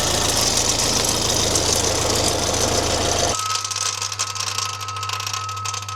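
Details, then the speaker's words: Alfa Romeo Giulietta QV 1750 TBI running with engine management light on: loud, rough, gritty rotational grinding/rattle that drops off sharply after three seconds; auxiliary belt still tensioned, owner suspects turbo, more likely manifold side. "Okay, so something rotational, and I hate to say it, sounds like it's coming from inside."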